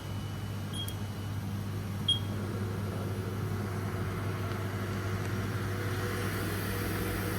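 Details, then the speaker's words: Normal spindle run on a Haas VF1 CNC mill being recommissioned, commanded M3 S500 with zero load at 500 rpm: steady, low, even hum with no knocks or rubbing and a couple of control beeps. "Spindle sounds nice. We've got zero load at 500 RPM, which is what you'd expect."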